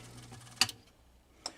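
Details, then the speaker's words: Rock-Ola 496 jukebox with burnt power supply: two sharp, dry relay clicks about a second apart with faint electrical hum; power seems to cycle on and off, relay suspected, not confirmed. "okay so you're hearing down here in the bottom like a ticking tick that sounds like that same freaking relay that we messed within the 49 the 494"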